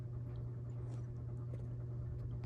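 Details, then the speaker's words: 52-inch CEC Newport ceiling fan: low steady motor hum with a faint rough rumble under it, both bearing noise and buzz getting louder the longer it runs; worn bearings and motor buzz. "It gets louder the longer you run it. Both the bearing noise and the buzz. You can definitely hear the humming coming from it."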